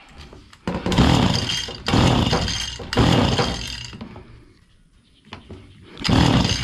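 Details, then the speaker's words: Stihl FS85 two-stroke hedge trimmer, fuel refilled, primed, leak noted: catches and revs to full throttle in short bursts then cuts off each time. "all right as you can tell we got it fired up but you see the it was running Full Throttle then it would come down and it would cut off"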